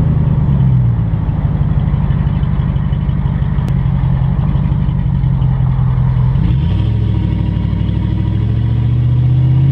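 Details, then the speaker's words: Dodge Ram Hemi truck with unfinished straight-pipe exhaust, heard on a short drive: loud deep burble with fast even pulses swelling briefly near six seconds; engine running normally. "I'm doing the exhaust on my truck it's not done yet but uh I'll take a little drive with you guys so you can hear it"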